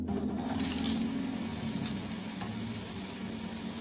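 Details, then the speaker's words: Sanyo water pump that ran rough because it wasn't drawing water: after priming, the water rises and the pump settles into a steady, smooth motor hum with rushing water and no harsh rattle. Normal running; a small leak at the top. "Nah suaranya udah berubah nih lebih halus dan kayak tadi kan suaranya"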